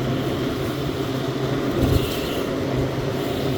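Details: 1998 Whirlpool 10,000 BTU window air conditioner with compressor on high fan at about 9.44 amps: a steady low hum with a soft, even rush of fan air and no knocks or rattles. The compressor runs normally.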